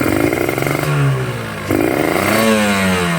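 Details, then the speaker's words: Two-stroke motorcycle (tagged Ninja) with a rich ("wet") carburetor setting: revs rise lazily with a heavy, blubbering burble low down that clears as pitch rises. Rich low-rpm mixture. "Nah, itu basah ya. Bisa teman-teman dengar. Nih, berat. Berebet ya. Ini bisa digas, cuman berebet ya, putaran bawahnya berat."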